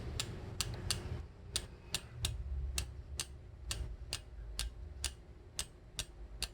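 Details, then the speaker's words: New 8-speed road bicycle, rear in the outermost sprocket, derailleur set correctly: light metallic ticks about twice a second as cranks turn; chain brushing the adjacent sprocket, expected to fade as parts wear in. "살짝 하고 올라가려고 하는 것 같이 그러면 소음이 나요 예 스친소 흥이 날 거에요"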